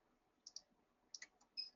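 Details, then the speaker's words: Avancé embroidery machine needle-depth check: a round gauge with a flat top is rotated under the needle, giving a few faint, high, light ticks as the needle barely rubs the groove. Correct needle depth, light rub; no rub would mean depth too high. "If it's not rubbing and you're turning it and it's you know, rotating freely, you've got it in there and you're rotating it but not hearing the needle touch, that means your needle depth is too high."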